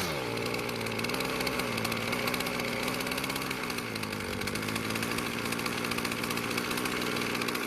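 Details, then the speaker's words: Poulan Pro two-stroke string trimmer, worn low-compression engine, after carburetor adjustment and trimmer line cut from over 24 to about 17 inches to reduce load: buzzy idle with slightly wandering speed, running a little better but still weak; further tuning planned from cold start. "considering how worn out the engine is I'll continue tuning the carburetor once it cools down again for a cold start"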